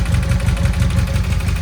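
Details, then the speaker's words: 1981 Honda CM400 Custom, first run after a full carb rebuild: a lumpy twin idle with light, fast valve chatter on top, most likely from the rubber keepers. "So we definitely got some valve chatter on this side. You can hear it rattle. Tachometer's working. You can definitely hear that there is some valve chatter up here, which is most likely the rubber keepers."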